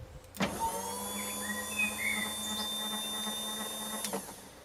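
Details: Shoprider Pihsiang mobility scooter being repaired after it stopped working: steady high electric whine holds an even pitch about four seconds and stops cleanly; drive motor runs freely without grinding.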